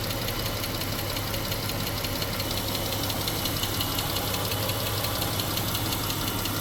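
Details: 2015 Jeep Grand Cherokee 3.6L, 63,600 miles, stutter with cylinder 3 and 6 misfires: a light tapping about twice a second from under the hood over a steady hot idle, cause not yet found; engine tapping at idle.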